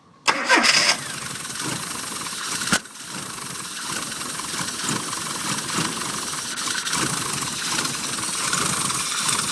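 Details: Rover Mini SPi cranks and catches, then idles roughly with irregular stumbles and pops. It died when revved and was not drivable. The cause was a bad crankshaft position sensor, fixed by replacing it.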